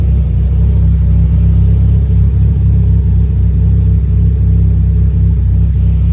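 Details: E85 turbo car at idle after the tune was adjusted for a slightly lean idle and a fuel line leak that had made it run rich: deep, even idle with a steady low rumble, no stumble, miss or flutter; healthy.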